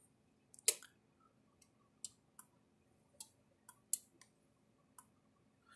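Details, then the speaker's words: Universal 6000 solid-state electric fence controller, older model, after repair on a bench power supply: quiet sharp dry clicks about every second with a small light flashing, the normal charger pulse. "it clicks but you can hear it clicking along there a little bit"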